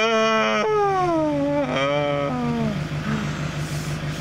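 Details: Renault Master 2 / Movano 2.8 DTI van that only clicked on key, after cleaning a bad ground connection and reassembly: starter whine winds down as the diesel fires and settles to a steady even idle; starts cleanly, normal start.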